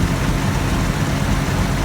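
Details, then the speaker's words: 1984 Toyota FJ60 2F, de-smogged, back on OEM exhaust manifold replacing aftermarket header: deep, even idle with a steady low throb and no ticking or stumbling; runs smooth. "day number two of putting this back with the oem exhaust manifold um guys just like i figured runs absolutely perfect i've already done a little test start up fired right up first time and uh you will definitely hear how smooth this thing is here in just a second"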